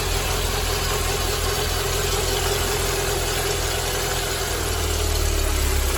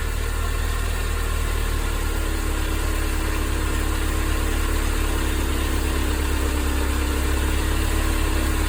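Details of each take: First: Mercedes-Benz W201 190E 2.0 (M102) idling with a low, gravelly rumble under the engine note from a worn-out belt tensioner; tensioner, damper, adjuster and belt replaced, after which the noise was gone. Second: Mercedes-Benz 190E 2.0 (W201, M102) after replacing belt tensioner, damper and belt: smooth even idle with steady low drone, no squeal, chirp or rattle; belt tension fine.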